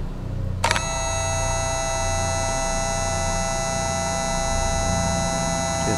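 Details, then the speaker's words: 12 V boat bilge pump on battery power, run dry out of water (rated to run dry), microphone close. Steady high whine at even pitch. Normal dry running. "definitely working sure you can hear that a whiny sound"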